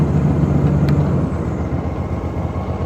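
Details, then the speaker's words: New Ariens IKON 52 zero-turn mower after replacing all deck blades (one broke, causing bad noises); deck raised fully, engine purring, steady low drone with blades spinning evenly, no wobble, clatter or scraping: normal blade engagement. "Okay. Listen to that purr. Now, comes the big test. That blade sounds pretty good."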